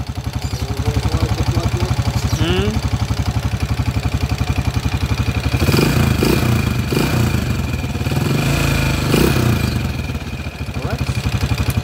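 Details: TMX155 single-cylinder engine, timing gear already replaced: steady mechanical clatter about four per second rising with revs; still noisy, play found at the cam gear pin; timing gear noise.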